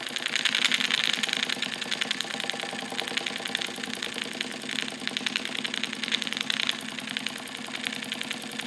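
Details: Wilesco D455 tabletop double-acting stationary steam engine at operating temperature: quick, even chuffing at about three and a half beats a second with hissy exhaust. Normal running.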